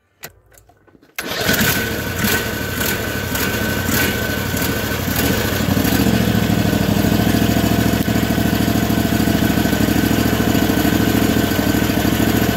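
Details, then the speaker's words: Briggs & Stratton overhead-valve engine on a 450-hour garden tractor: quick start then slightly lumpy, uneven beat with one cylinder weaker; blown head gasket pushing exhaust and oil out where it shouldn't. "um real tired engines with bad rings and stuff will get Blow by that's one one sign um it does run weaker on one cylinder and you can kind of hear it if you know what you're looking for"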